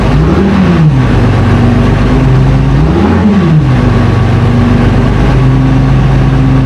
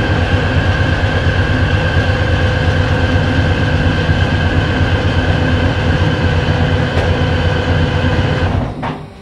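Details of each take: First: FV432 troop carrier diesel, long-sitting, being revived and running on real diesel: deep, steady note rises and falls smoothly through two rev blips and returns to an even idle; normal running and revving. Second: FV432 troop carrier diesel, long-sitting, first start attempt with air filters refitted: heavy diesel rumbles steadily for about eight seconds, then fades and cuts out; it starts and shuts off.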